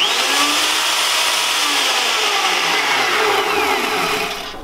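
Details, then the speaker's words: Ryobi BT3100/BT3000 table saw motor switched on with housing open after fitting new shims to the blade raise/lower mechanism: high steady whine winding down smoothly at switch-off, no grinding or rubbing; motor runs normally. "So if we want to see that it works, a little bit dangerous here, I've got everything open, but I'm going to just turn it on and see what the motor"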